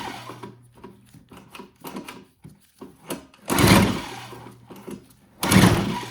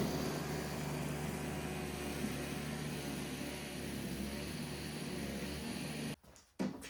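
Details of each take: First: Old Toro CCR Powerlite snowthrower on full choke, primed three times: two hard recoil pulls whir and die away with no firing; it ran only on starting fluid because the carburetor needle was installed upside down on the float, so no fuel reached the bowl. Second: Old Toro CCR Powerlite snowthrower after reinstalling the upside-down carburetor needle and cleaning the bowl: choked, primed and started on fuel, it holds a steady, even buzz without surging or missing, then shuts off; running normally.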